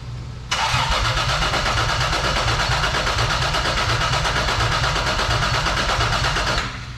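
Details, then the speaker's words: Toyota 4Runner 3VZ-E after repairs for no compression on two cylinders, first crank with the coil unplugged: about six seconds of steady, evenly spaced chugging with no skipped beats, so compression sounds even. "make sure that you know I'm hearing even and even Cadence of the engine and not maybe a skip indicating no compression"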